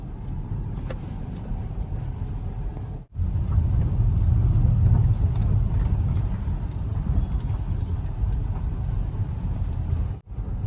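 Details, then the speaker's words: Hyundai Grand i10 Nios, 3 years and about 41,000 km, driving normally over a bad road: rough low thumping, hard uneven knocks under road rumble; steering rack returning gear knocks "kat kat kat" and needs replacing. "तो, वह जो है आवाज कर रहा है जिसके कारण से यह प्रॉब्लम होती है। आवाज आती है कट कट कट बहुत जोर-जोर से है ना?"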